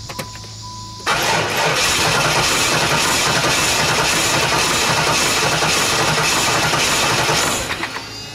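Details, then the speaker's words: 1995 Firebird Formula LT1 automatic, 118,000 miles: starter churns steadily about six seconds, engine seems to catch faintly but never runs; crank no start despite new Opti, ignition module, plugs, wires, good spark, 44 psi fuel pressure, compression 240–245 psi. "what she doing sound like it starts to start maybe but tell me what you guys think I mean I it's got me stumped cuz it's got fuel and Spark"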